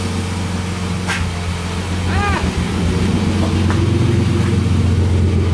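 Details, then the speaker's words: BMW E30 after freeing a stuck-open injector and fitting new spark plugs and coil boots: low, even idle with steady exhaust hum, no misses or stumbles; quiet, all cylinders firing, normal idle. "Шепчет. Все, теперь слышно, что работает тихо, работают все горшки."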